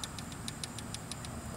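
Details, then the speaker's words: 50cc/60cc moped scooter engine idling during valve adjustment: sharp, even tappet tick about six times a second that grows more violent as the adjuster is unscrewed and quieter as it is screwed in. "You might not, might can, but anyway, that tapping, watch me unscrew it. It's more violent now. And you screw it in more, it's less."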